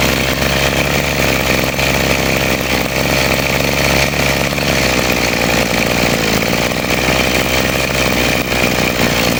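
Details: Model 411 brush cutter after repair of carburetor flooding from a dirty float that caused poor acceleration and cutting out, carburetor cleaned and reassembled; high buzzy two-stroke drone at steady speed without dips, surging or stalling, running normally.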